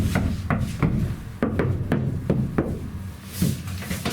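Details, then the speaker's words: Iveco Daily ex-fridge van camper conversion: side panels knuckle-tapped after butyl sound deadener was installed, as a comparison. Short, dull thuds with no ringing afterward, a massive difference: the panels are well deadened. "Pretty decent. The difference is amazing. Massive difference."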